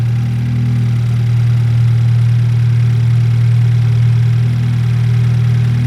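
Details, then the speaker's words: BMW 328i F30 N20, 180k miles, just after valve cover gasket replacement; steady even low hum at idle, no knocks, ticks or pitch change, no check engine lights. Smooth healthy idle. "Yep, sounds good. I'm pretty sure nothing's wrong with it."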